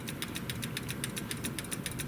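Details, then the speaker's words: Clock that came with the house, escapement badly out of adjustment, after tweaking a shaft so it disengages sooner: crisp, even ticks about seven or eight a second over low rumble; running in beat with a nice even cadence. "it's if you listen to it carefully it has a nice even cadence and that's what you want but yeah it wants to run now very much so"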